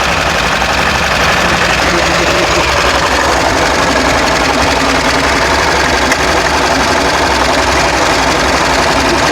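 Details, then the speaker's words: 1962 Chevy Corvair, just bought, first start after cranking with brake clean: a rough idle with uneven pops and stumbles out of the exhaust on one side. Cause of the popping not yet known. "it's even idling that was bad it's popping out that side I don't know why"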